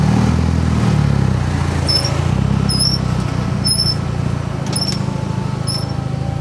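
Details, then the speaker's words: Car squeaking while driving: a sharp, high chirp repeats roughly once a second over road noise and tracks wheel speed. Owner suspects the brake shim kit or a wheel bearing and leans toward the brakes; not confirmed. "hear that squeaking? I don't know if that's like the shim kit for the brakes or like a wheel bearings going out or something. I think it's the brakes."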